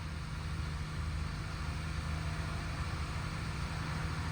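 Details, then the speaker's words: 1999 Lexus ES300, first start after reassembly following diagnosis of burnt valve(s) on cylinder 6, fuel system primed. Steady, even hum with no ticks or stumbles; idle a touch high in park but the engine runs smoothly, with the earlier noise gone. "Wow, that sounds fantastic. I'm so pumped for this. Wow, that sounds good. Sounds really good. The idle is a little high, but uh yeah, so far so good."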